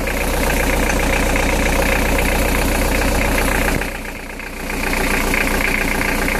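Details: Nanni boat diesel under throttle with a steady hard knock about four a second; oil change found nothing, cured by refurbishing all injectors and adjusting slightly out valve clearances; diesel knock from faulty injectors and loose valve clearances.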